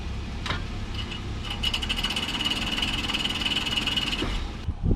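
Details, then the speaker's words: 2008 Toyota 4Runner (4th gen) after a rear brake, rotor and caliper job, in Drive with the rear wheel off: quick, regular metallic ticking in time with the wheel, from a loose parking brake hold-down spring catching the studs. "it's making like this like ticking sound on the rear end I don't know if something's like touching the uh the rotor"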